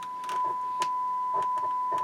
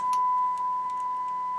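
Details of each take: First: 1970s Marantz 2250B receiver on bench test after cleaning and DeoxIT; crackling bursts through a test tone as the bass/mid/treble pots turn, still scratchy at the ends of travel, notably the midrange. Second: 1970s Marantz 2250B receiver after cleaning and bench test, 1 kHz tone fed into the auxiliary input: pure steady tone with no crackle, hum or distortion; output clean, though tone pots remain slightly scratchy.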